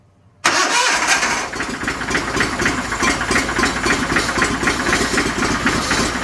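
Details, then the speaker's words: 49-year-old John Deere 318 garden tractor kept running with fuel from a squirt bottle: catches abruptly, runs rough, surging and stumbling, starved of fuel until the lines prime and gas reaches the fuel filter. "We got a little squirt bottle and now we can kind of get down in there. Let's see if we can keep it running till it primes itself."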